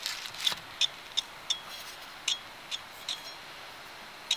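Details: 1996 VQ engine vehicle: sharp, light clicks at an uneven rate of about two to three per second over a quiet background, from a bad wheel bearing.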